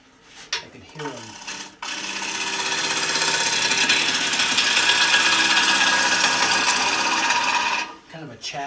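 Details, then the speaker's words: Green-wood bowl on an electric lathe, cut with a regular bowl gouge: harsh rasping cut pulsing about four times a second, chatter as the tool hits knots in the wood. "I see there's some knots in here."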